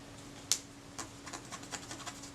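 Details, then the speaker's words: Kodak Retina I type 126 camera (1936–37) during servicing: faint dry scratching squeak as a swab drags over a shutter blade roughened by surface corrosion, unlike smooth clean blades; to be polished with Brasso. "t rough you can actually hear that squeaking as i try and run it over there whereas the blade without that problem you don't get that it's just smooth this is rough okay well i'll have to polish those blades with brasso yes a lot of surface corrosion on that one"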